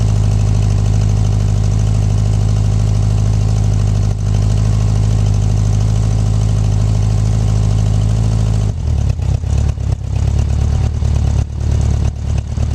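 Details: 1984 Honda Goldwing 1200 idling on a swapped-in 1985 Honda Prelude fuel pump, around 60°F. Steady, even low hum with no ticks, misses or hiccups; running normally.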